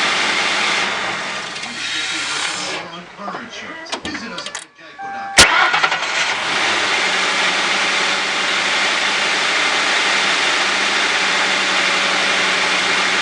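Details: 2004 Ford Crown Victoria 4.6, cold start after starter Bendix drive was freed up and oiled: brief crank, catches and settles into even idle with no screech; normal cold start, starter replacement still warranted.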